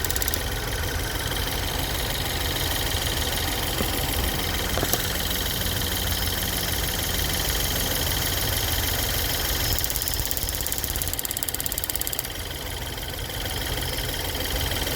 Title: Ford Fusion 2013 1.6 Ecoboost Ticking noise, Problem found BAD purge valve #fusio #ticking #ecoboost